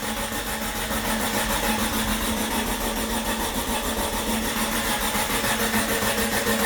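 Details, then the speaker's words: Audi A4 B6 1.8T Quattro after engine refresh and new timing belt: even cranking at about three and a half beats a second with no firing; cam timing belt set off by one tooth, notches not aligned at TDC. "right well i think i found my problem the uh i did do the timing belt and it looks like it's off by [Music] like a tooth both sides the notches are not facing up it's top dead center together"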